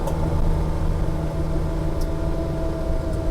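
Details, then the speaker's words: Ferrari 330GT Series II carburettor engine with very old fuel, popping and snapping through the intake under throttle on a test drive; suspected lean mixture needing mixture screws richened, possibly vacuum leaks at the faceplates, slow lazy idle return. "yeah you can hear it just snapping away yeah yep you definitely hear that snapping snapping and popping"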